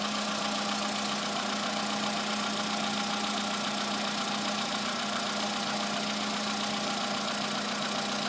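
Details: VW Polo sedan, morning cold start; modified ET pistons fitted under 9000 km earlier, oil changed 5000 km ago. Cold idle carries a light, fairly regular ticking knock, roughly three or four a second, over a steady engine hum. Cause not confirmed.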